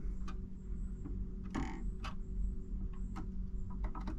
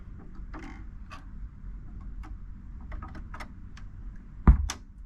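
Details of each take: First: Marantz 6100 turntable after the popping fix, ground U-connector hooked up, volume about an eighth: low steady hum with soft mechanical clicks as the tonearm returns and the motor clicks off cleanly; no speaker pop. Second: Marantz 6100 turntable: light mechanical clicks over low hum, then a sharp loud speaker pop as the motor disengages; suspected cause is the 0.047 µF 125 VAC capacitor on the motor, as there is no muting circuit.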